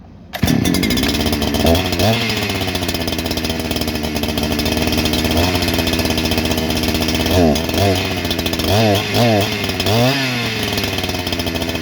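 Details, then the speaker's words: New Holzforma G288 88cc chainsaw (Husqvarna 288 copy) with a 24-inch bar, first start: it idles unevenly, then revs sag and surge on throttle instead of climbing; cured later by tapping the clutch-side crank seal; air leak causing lean running and bogging. "that's an odd way to run well that didn't uh start it up good but uh almost as soon as i tried to give it some throttle the damn thing just won't even try"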